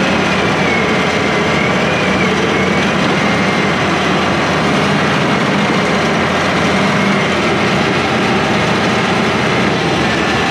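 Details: International IH 175C track loader diesel, freshly serviced, pedal just adjusted: loud steady roar holding even pace, no knocking or misses; normal healthy engine run.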